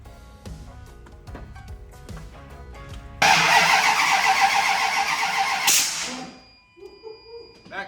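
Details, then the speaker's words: Truck after swapping spark plug wires around: starter cranks a couple of seconds without catching, then a sharp backfire pop; won't start, suspected wrong wire routing/firing order, to be reset at top dead center on cylinder 1. "Backfire. Don't worry about it. It's fine. Let it ride. All right. So no major improvements."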